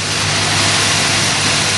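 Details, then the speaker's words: 1978 Oldsmobile Cutlass G-body 403 V8, cold at fast idle after an arcing distributor cap was replaced and borrowed plug wires fitted: steady, even idle, hiss-heavy exhaust, no stumble or knock; now running on all eight. "sounds a lot better sounds okay somebody is running on all eight"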